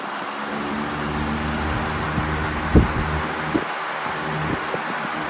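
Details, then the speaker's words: Lakewood HV18 CCB industrial/commercial fan with McMillan 4-pole PSC motor, started on high; steady motor hum with low buzzing rattle from a slightly loose capacitor vibrating. "That vibrating sound is coming from the capacitor. It's just a little loose."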